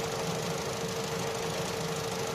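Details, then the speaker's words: Opel/Vauxhall Astra J 1.4 after new spark plug and ignition coil for a cylinder 1 misfire: steady, even idle hum with constant tone, no stumble or missed beats; cylinder 1 misfire count now zero, history only. "Vedem dacă mai dă la te să vedem la cilindrul un unde era buba. Zero. Ăsta e history și a avut, dar acuma e zero."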